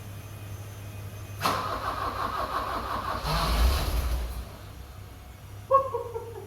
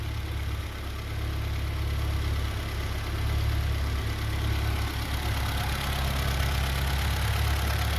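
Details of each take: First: 1982 BMW 320i after reinstalling gas tanks, fuel pumps and main line, cleaning injectors and fixing a vacuum leak, fuel pump relay jumped: cranks, catches for a few ragged seconds, then stalls; won't stay running, cause unclear. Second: 1982 BMW 320i after fuel tanks, pumps and line reinstalled, injectors cleaned, vacuum leak fixed, idle air control valve cleaned, reconditioned battery, near operating temperature; some smoke and oil leak noted: low even steady warm idle, no misses or knocks.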